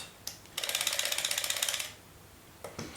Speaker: you can hear everything rattles a little [Music] again everything rattles a little that's because the tolerances when producing this item are a lot higher than on the original product product